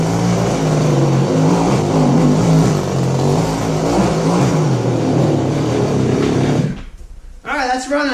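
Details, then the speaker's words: Goped-style small two-stroke scooters after throttle return fix: steady, even idle with no surging or runaway, then clean shutoff; both running well. "all right so these scooters are both running well that's good"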